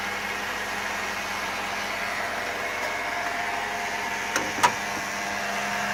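Steady idle hum with a light whirring, rattly edge in the upper range and a couple of brief clicks; the source isn't identifiable from sound alone.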